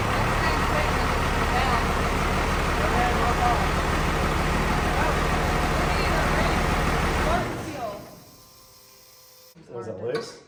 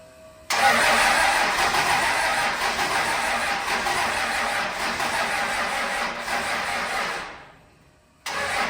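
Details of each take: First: The '41 diesel running: even clatter at about four pulses a second for seven seconds before cutting off. It runs normally, though power steering fluid sprayed out when revved. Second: The '41 being brought back to life: the starter grinds for several seconds, fading and slowing, and it never fires. The battery was charged for two days but is still weak, and no fuel is reaching the injectors.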